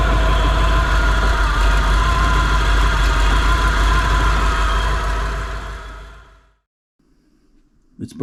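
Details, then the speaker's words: 1957 Chevy sedan delivery, 454 big block on a 4x4 truck frame, idling on tank fuel after revival: steady, even low idle with a regular beat, then it winds down and stops. It runs well enough to proceed. "I think it runs well enough that I'm going to move forward with putting the axles in and getting it driving"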